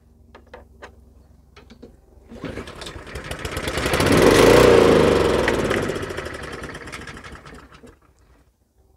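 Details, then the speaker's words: Neglected Honda Harmony II HRS216 lawnmower before carburetor service, ignition tested good, two-stroke mix sprayed into carburetor throat, choke butterfly sticky: a few clicks, engine catches, surges to a steady chug and dies; runs only on primer, carburetor fault. "Tôi sẽ phun một ít Go-Juice trực tiếp vào cổ họng của bộ chế hòa khí. Đây chỉ là một hỗn hợp hai thì và bướm sặc hơi dính."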